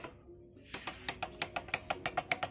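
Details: Honda Astrea Grand motorcycle: the starter gives only rapid dry clicking, about six a second, with no cranking, because battery current isn't reaching the starter through a faulty cable.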